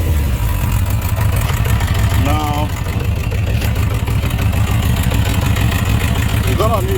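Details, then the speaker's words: Suzuki RF900 multi-cylinder motorcycle at idle: lumpy, uneven idle with a deep stumbling thrum, not smooth. Misfire. "then I'm going to start this bike here then you hear the sound I'm going to rev it then we go about it okay here we go so it's not smooth"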